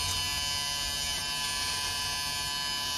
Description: இந்த வீடியோவில் mitsun hdmi arc box ல் வரும் humming noise எப்படி நிறுத்துவது என்பது பற்றிய video.அனைவருக்கும் பயன்படும்.